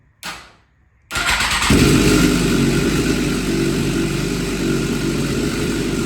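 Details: 2007 Suzuki GSX-R 750 being rebuilt, started with a replacement cam chain tensioner fitted: it fires and idles with a loose, uneven metallic rattle over the exhaust; the chain sounds looser and the new tensioner is suspected of being worse than the original.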